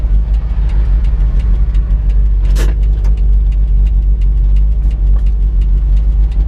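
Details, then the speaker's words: 1982 Toyota Dyna ex-council truck with high mileage, idling after a drive: deep low throb with a dull, smothered "fluffy" exhaust note and faint ticking, no smoke visible; cause unclear, brakes not apparently stuck. "that sounds strange but it sounds extremely fluffy at the exhaust but there's no smoke coming from anywhere"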